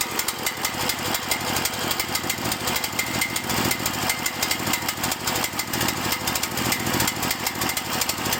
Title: Cael mini excavator: rough idle and die